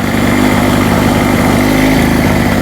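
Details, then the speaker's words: Hurricane 850W 240V two-stroke generator after a loose spark plug was tightened, at normal RPM under a light halogen lamp load: steady buzz whose pitch wavers slightly as it hunts, so it runs a bit jittery. "I've just got it back to normal RPM there. Not bad. Still a little bit jittery there."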